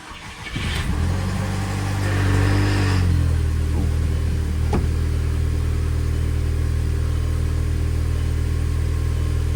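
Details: 2.0T FSI MK5 GTI at 82,000 miles, started right after oil and filter change, run briefly to circulate oil: fires at once, flares briefly, then settles into an even, steady idle with no ticking or knocking; normal idle, no dash lights.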